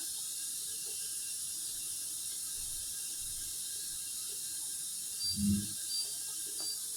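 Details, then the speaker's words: Dishwasher after repair (door screw reset) at cycle start: soft, even water hiss with one light clunk; still loading water, normal fill. "She's still loading water. you can hear her. Hopefully you can hear it. All right, she's running."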